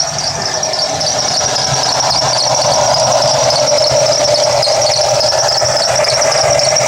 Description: Can't figure out which belt is squealing, any ideas?